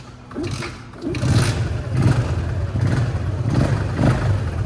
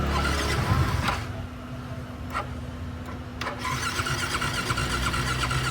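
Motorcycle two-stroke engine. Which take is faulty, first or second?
second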